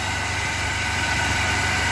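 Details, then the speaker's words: 1997 Chevy S10 pickup, cold, after fixing shaking/misfire (codes P0102/P0103) at the mass air flow sensor: steady, even idle with no misses or hunting, only a faint cold-engine shake; fan slow, possible bad clutch. "oh yes nice now it's nice and sturdy a little bit shaken it's probably because it's cold but oh it's starting right up no problem whatsoever"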